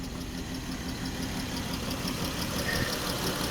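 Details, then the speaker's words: Dodge Chrysler, 134,000 miles, coolant never flushed, severely overheated; stumbling idle with an irregular pulse about three per second, water coming out: misfire, engine destroyed. "Yeah, guys, that is water. All right, now, okay, she done destroyed her engine."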